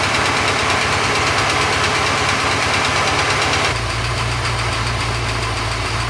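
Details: Porsche 928 V8 after oil pump work: smooth, even idle with steady low rumble and no whine; owner happy it all sounds good. Normal idle.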